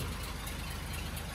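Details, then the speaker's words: Daimler limousine petrol engine, first run in 32 years since 1990, carb not leaking, idling on its own off the tank: steady, even low-pitched idle with regular pulses, no misses or knocks; running well, slight condensation in exhaust. "And the carb is not leaking anywhere. It's just running tickety-boo."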